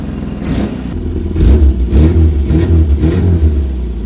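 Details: 1975 Vauxhall Viva HC, off the road since 1991, first start after carburettor work: engine blipped about twice a second, rising and falling cleanly with no misfire or knock while warming up; normal running.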